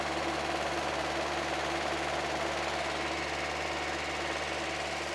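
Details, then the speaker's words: Mazda Miata after a misfire fix, AC recharge and timing set, first start after working on the fast idle valve: really smooth, even idle with no hunting, but sitting far too high. The idle screw is all the way in; cause unconfirmed. "okay it's really smooth but it's really high can we adjust that out"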